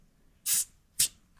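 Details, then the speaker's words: Tire pressure gauge pressed onto the tire valve, microphone clipped down near the valve, tire at about 24.5 PSI: two short, crisp hisses, each cut off quickly; gauge seated squarely, no air leaking. "Should sound like that."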